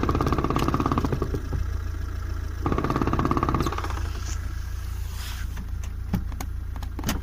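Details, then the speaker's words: VAZ-2107 gearbox knock: uneven knocking about three per second over a steady low idle with the clutch engaged; it disappears when the clutch pedal is pressed. "короче какая-то вот шляпа появилась коробки сцепление выжимает пропадает это слышно прям крутую чуть начинают вращаться исключать"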